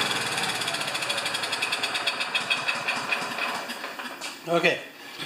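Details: Self-propelled Lawn-Boy mower with Kohler engine, before repair, choke closed, fuel squirted in to keep it going: rapid firing then beat weakens and fades within seconds; owner unsure choke or dirty carburetor.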